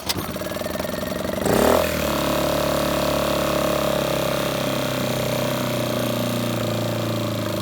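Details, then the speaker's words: Generator bought unseen as a non-runner, carburetor just cleaned, running with the air cleaner off. It cranks, catches after about 1.5 s, then settles into a steady, even drone holding its pitch, smoking a bit. Normal running. "that's why I sold out because the air cleaners off but it runs it smokes a bit but I knew that so you know really for 175 bucks are your bad deal Bob"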